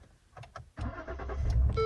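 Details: 2015 Ford Taurus that cranks but won't start with no codes: starting fluid sprayed into a vacuum port gives a few cranking chugs, then it catches and idles, ruling out ignition and pointing to a fuel delivery fault.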